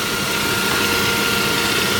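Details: Saab 9-5 Aero idling with a constant gritty hiss and thin steady whine, no knocking; service first suspected the oil filter in the sump but it turned out to be a failing water pump.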